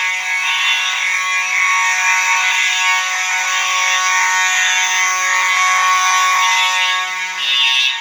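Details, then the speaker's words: Fire alarm horn test: one horn sounding continuous (uncoded), another horn coded to code 3; loud harsh buzzing steady tone with slight pulsing from the coded horn; horns working properly. "That'll be coded to code 3, so you'll hear a mix of both, which will be really cool."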